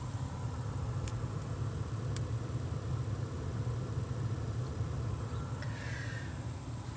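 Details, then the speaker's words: 2012 Ford Fusion blower motor chirping and clicking at low fan speed over a low hum; housing checked with nothing rubbing, motor still chirps when removed, so the motor itself is faulty (replacement MM-1091). "so the reason I'm going to do this is because as you might be able to hear there's a chirping sound coming from the blower at low speeds"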